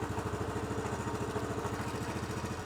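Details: Honda CT110 during basic service, warm, idle screw just tweaked after it sounded like dying: steady, even single-cylinder putter at idle with no misses, knocks or hunting; normal idle.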